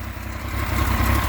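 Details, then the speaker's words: Yamaha FZ09 donor triple, 115 hp, destined for a Wildfire WF650C three-wheeler, started off a 200 A jump starter after priming the fuel pump: steady low burbling idle, even pulses with no knocks, ticks or misses; engine is fine. "The engine right there is fine. Totally fine. 115 horse."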